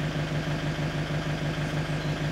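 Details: Steady, even diesel idle of a Movano 2.8 DTI (Master base) with a low regular chug and no misses or knocks; the engine runs healthy.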